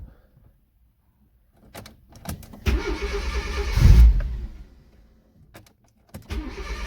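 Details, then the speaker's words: Fiat Cinquecento turbo project on a new ECU setup, idle control valve removed: catches in uneven bursts, surges, then sags toward stalling, starved of idle air; rough idle from missing idle air control valve. "Now that is to be expected, because obviously now it doesn't have the idle control valve anymore. It's not getting that extra air that it needs."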